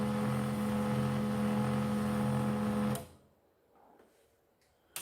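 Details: Canon 2900 printer pulling paper; steady high squeal with a rough buzzing drone for about three seconds, then it stops; very loud feed noise; rubber feed roller beneath to be checked and cleaned; cause not confirmed.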